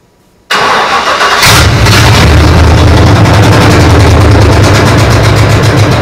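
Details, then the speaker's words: P48 project engine, first start after routing fuel lines, fitting plug wires and setting timing, no coolant in it: brief crank, fires right up and settles into a smooth, even idle with no ticks or knocks; normal start-up and idle. "so there you have it just a quick start up"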